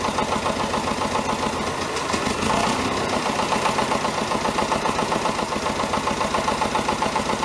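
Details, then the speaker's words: David Brown 1490 tractor diesel, first run after engine rebuild: a steady, fairly even knock, three or four a second, over the idle clatter. Owner suspects fuel injection knock; the injectors are being reconditioned. "You'll hear that it has got a bit of a knock. I think it's a fuel injection knock."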